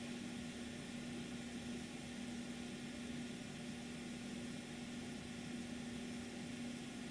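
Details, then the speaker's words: TLP Audio TPS 10 phono stage (76 dB gain) on TG-1 power supply with no SP capacitor packs: steady low power-supply ripple hum much louder, masking faint rush/hiss; residual noise still called acceptable for this gain. "the rush noise is still there it may sound a little less than before but it is only because the hum is covering the rush noise the hum is a lot louder without any sp capacitor pack"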